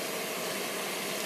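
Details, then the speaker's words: Pool pump and filter after backwash valve was disassembled and lubricated: even, steady rushing hum with no knocks or rattles; previous loud noise gone, normal running, O-rings may need replacing soon. "i'd say it's not a hundred percent but uh in other words i'll probably need to replace those o-rings within the next i don't know two or three months but uh no more noise"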